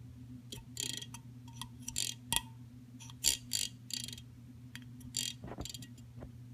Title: Fan making loud noises